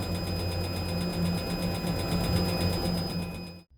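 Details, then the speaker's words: Boat diesel heater feeding radiators and hot water via small low-pressure pump, recorded in the open engine room while priming and firing up: steady low drone with fast even pulsing about three per second and thin whine; loud here but barely audible inside with the engine room closed; running normally. "it's getting itself primed up and ready to fire up it's quite noisy but once you're inside the boat with the engine room closed up you can barely hear it it does sound rather loud sitting here"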